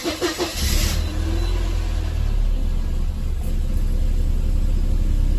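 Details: Mercedes 190E W201 (M102) after battery replacement, tested days later: a few quick cranks, then it catches and holds a smooth, steady idle with no rpm flare or metallic hiccup; normal start.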